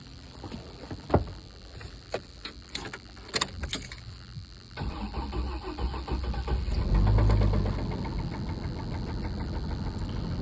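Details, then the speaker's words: Truck engine with rod knock that still drives well, cranking and settling to idle with a deep regular knock about four a second; it needs main and rod bearings if the crank and cylinder walls are okay. "That's a rod knob sound. So, it's going to need main bearings and rod bearings if the crank is not really bad and the cylinder wall is not really bad."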